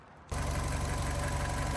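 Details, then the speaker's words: 2008 Fiat 500 1.2 petrol, 25,000 miles, after repair of an idle fault (MAP sensor ordered, timing also suspected): starts and settles into a steady, even idle with no stumble or hunting. Idle fixed. "Good news! As you can hear, the idle is fixed."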